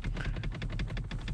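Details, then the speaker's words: Dash trim panel on a 2012 ninth-gen naturally aspirated Honda Civic Si at about 140,000 miles creaks over every bump despite sound deadening. Quick dry plastic ticks, six or seven a second, from loosely clipped trim with play; cause suspected. "same with the dash piece like it's clipped in and there's play and it every bump this thing"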